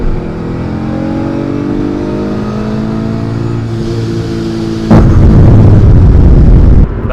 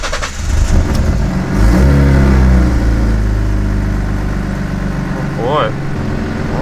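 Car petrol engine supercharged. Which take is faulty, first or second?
first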